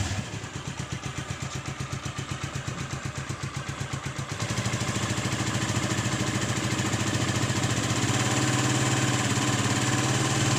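Even firing pulses at about three to four a second settle into a steadier, faster run with no knock; the engine sounds smooth and healthy.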